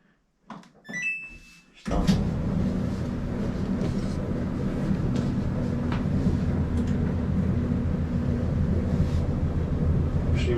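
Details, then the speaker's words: Samsung dryer after all three drum support wheels were replaced to cure a popping noise: start-up beeps, then an even, steady drum rumble with no squeal, thump or popping; quiet, normal operation. "quiet like a brand new dryer"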